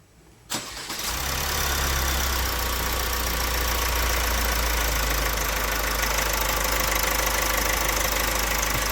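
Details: Opel Astra J 1.6 CDTI 136 hp diesel, 67,000 km: starts and idles with a fast metallic rattle over the clatter, louder over time; timing chain suspected before teardown checks the crank gear, bearings and chain.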